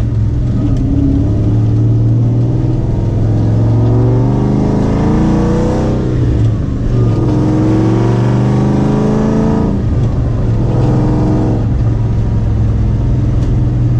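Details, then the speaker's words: Mustang first drive with newly built rear end, Yukon 31-spline differential, 31-spline axles and 4.56 gears: steady engine pull and road rumble through the gears, no whine, howl or clunk from the back; rear end sounds quiet and solid. "so just trying to listen for noises see if there's any issues I pretty much don't see there being any issues the rear end should be all solid"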